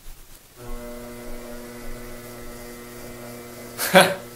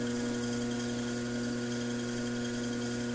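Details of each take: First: Brent pottery wheel after repair (one piece removed and refitted): smooth, steady low motor hum with no squeak, then handling clatter; squeak gone. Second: Brent pottery wheel viewed from underneath, splash pans off, motor belt-driven: thin high-pitched squeak over the motor's even hum, worse at slow speed.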